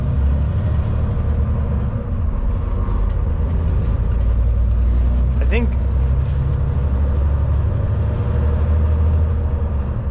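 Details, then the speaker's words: 2006 Peterbilt 379 day cab, CAT C15 MXS 650hp pulling B-train flatbeds: a steady deep diesel rumble under way, with the Jake engine brake's heavier drone between gear shifts; normal. "it's actually jake break like it's engine breaking in between gear shifts you can hear it"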